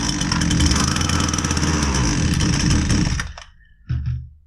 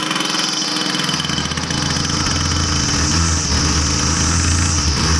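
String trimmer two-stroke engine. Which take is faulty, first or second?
first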